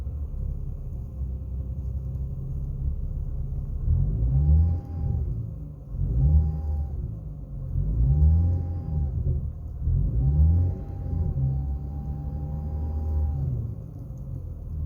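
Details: BMW E90 with N55 engine: steady mid-pitched whine from the driver side of the engine bay rising under load with throttle blips; PCV valve checked, owner suspected the oil filter, and the noise stopped after an oil change.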